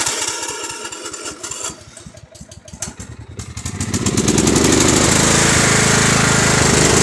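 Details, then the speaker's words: Husqvarna 122C string trimmer, a store return that would only start on choke and then die, runs rich and floods itself with the choke off: uneven sputtering firing picks up into a steady high buzz with unburnt-fuel white smoke; owner suspects the aftermarket carburetor. "Oh yeah, that's fuel. Thing's flooding its damn self. That was the smell of unburnt fuel."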